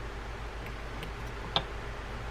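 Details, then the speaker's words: Mitchell 300 spinning reel being serviced for faulty anti-reverse: single crisp click as the drag adjuster is turned back on, showing the drag clicks and locks in as it should. "when you put that back on this is the click for the the drag so make sure that you you hear that turn turn it to make sure that you lock in"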